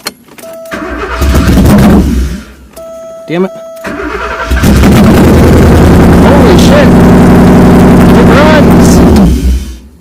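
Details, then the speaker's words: Porsche 928 V8 (tan car) started after sitting all winter, first start in 15+ years: cranks, catches and stumbles, then fires into a loud steady idle through open headers; earlier non-start traced to crank position sensor connector. "oh I guess that means the reason it hasn't been running was position sensor connector so I guess we can go ahead and put that bolt back in it"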